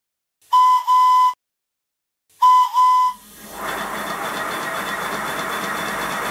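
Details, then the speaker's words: Simplex Prairie Tank model steam locomotive, whistle on compressed air test at about 70 psi (boiler working pressure 90 psi): two clear, steady whistle blasts with a full, bright tone, then a soft hiss. Whistle sounding properly. "the working pressure of this boiler is 90 pounds per square inch and here there's about 70 which is enough to make the whistle sound different"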